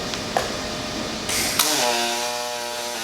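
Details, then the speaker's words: Pulsed MIG welding of 5086 marine-grade aluminum jet boat hull with 5554 wire: hissing, buzzing arc with pulse on, pitch stepping down as wire speed and voltage are varied together to fill a small gap. "so here i'm feeling a little bit of the gap and i got the pulse turned on you hear the sound change and as you hear the pitch change that's where i vary the wire speed and voltage together to like fill a tiny gap on the front"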